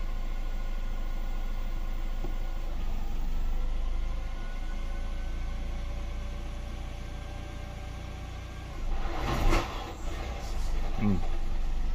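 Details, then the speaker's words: Hybrid car with newly fitted ethanol conversion kit, first start: brief lumpy uneven running and stumbling rev attempt; owner suspects he swapped the connector plugs while wiring the harness. "Même si c'est très bref, en fait, on entend bien que le moteur tourne pas rond. Il va tourner rond au ralenti, mais après il tourne pas rond."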